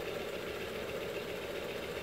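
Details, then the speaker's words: ACME handsaw vise and filer, after cleanup and link belt installed: quiet, even whirr with no knocks, just faint rustle from the link belt, which a regular V-belt might cure; running smoothly. "a much better sounding machine still here a little bit noise coming from this belt I think with a regular beat belt all of that noise tell them to go away"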